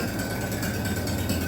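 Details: Minneapolis Moline BF tractor engine after an in-frame rebuild for heavy blow-by (suspected ring job), idling with no exhaust or muffler and possibly not yet warmed up: loud, raw, even open-pipe beat with no knocks or misses, a normal healthy idle.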